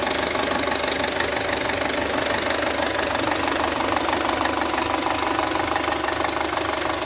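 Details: Audi A4 B6 2.0L FSI (AWA engine), 264,000 km, idling with a fast even metallic rattle from the cylinder head; stretched timing chain and worn camshaft phaser, fixed by replacing chain, tensioner and phaser.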